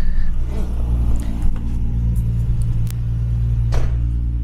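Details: Nissan Skyline GTR RB26DETT six-cylinder idling high and rich on a Haltech with a light, wavering sputter and uneven dips; stumble caused by an intake leak found at the throttle body and head, also causing low boost and stalling when hot.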